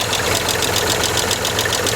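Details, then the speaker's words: Land Rover Freelander SE3 KV6 V6 at idle, microphone against the engine block: quick even metallic ticking, roughly six a second, over a steady idle, also heard at cylinder head and front engine mount bracket; suspected tapping hydraulic lifter. "d of noisy all over um what I'm going to try and do is see if I can use the microphone to give you guys a little closer listen instead of just a closer look"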